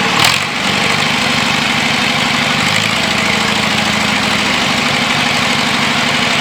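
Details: John Deere 2640 diesel tractor revived after sitting for years, new battery fitted: catches right away and runs steady and even, loud and raw with no muffler, no misfire or knock; healthy normal running.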